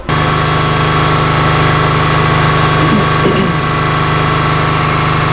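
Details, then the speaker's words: 2003 Subaru Forester at idle with P0032/P0037 codes, check engine light on and front and rear oxygen sensor heaters showing no activity: slightly uneven, lumpy petrol idle instead of a smooth hum; rough idle from inoperative O2 sensor heaters. "i'm not sure if you can hear that little rough running at idle but that's actually one of the conditions associated with those fault codes"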